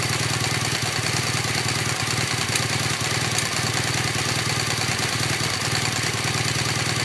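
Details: New 2015 BMW R1200GS LC (K50) at about 1500 km: steady idle with light fast ticking about two a second, clearly audible at the right cylinder; cause unclear.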